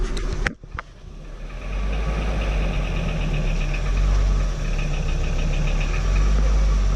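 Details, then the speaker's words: VW T4 2.5 AAF petrol engine under load with spark plug leads disconnected one by one, no change: light regular knocking about three to four a second over the drone, clearer under load, revs freely above 3000 rpm; source not found. "Ah, ça cogne toujours, hein. Sinon on entend qu'il prend très bien les tours et au-dessus de 3000 il n'y a aucun problème. Oh. Quand on est en charge, on entend beaucoup mieux."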